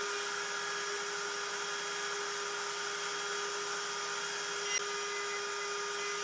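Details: Genmitsu 3030 PROVer Max desktop CNC cutting 6061 aluminum slots with a Makita 1.25HP router replacing the 300W stock spindle: steady, clean high spindle tone with no chatter or vibration, cleaner cut; smooth milling.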